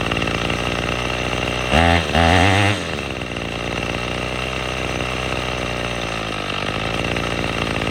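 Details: Troy-Bilt TB22EC string trimmer that wouldn't start after sitting, after primer bulb replacement: steady two-stroke buzz with a couple of sharp revs around two seconds and clean pickup, then settles to an even high idle.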